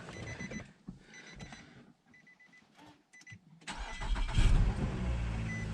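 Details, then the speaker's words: Nissan Altima after a DIY catalytic converter replacement for a P0420 code, with a new gasket and PB Blaster burning off. Chimes, then the engine starts and settles into a quiet, smooth idle with no rumble or rattle; normal exhaust. "oo nice and quiet that's a good sign burning off all the PB blast and that's that new uh gasket too probably on there"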